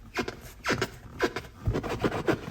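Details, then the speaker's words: Kia Rio X front seats: short rasping creaks each time the seat side bolsters are pressed. Fixed under warranty by the dealer. "если вот сюда давить это место играет и опять же происходит этот скрип здесь то же самое"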